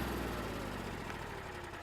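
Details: RV generator started by holding the start button after priming the fuel pump with the prime button: the small engine catches and settles into a steady low drone within a couple of seconds, no stumble, a clean start.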